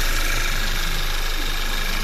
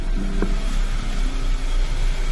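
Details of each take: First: Audi A4 2.0 TSI after injector cleaning and walnut-blasting intake valves, previously shaking, stalling in gear with check engine light: now starts with no errors, smooth, even, steady idle with no misses or shake; repaired, normal idle. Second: Audi A4 2.0 TSI, hard start with check engine light: low, uneven idle that stumbles and shakes, stalling when put in gear; codes show many misfires on cylinders one and three; injector and intake valve carbon cleaning follows.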